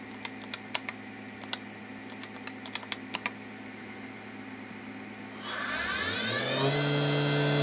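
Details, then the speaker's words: Tree Journeyman 325 CNC mill spindle commanded S3500 in reverse after adjusting drive pot to cut zero-speed creep; control clicks then smooth whine climbing evenly to speed without erroring, sounds good: normal spindle run in reverse. "yep that sounds good"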